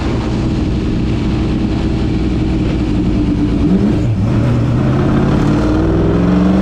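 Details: Ford Thunderbird NASCAR stock car V8 on its first road test after reinstalling the starter and tightening the headers; loud, deep roar pulling strongly as the revs climb and settle, clean with no misses and plenty of power, normal running under load.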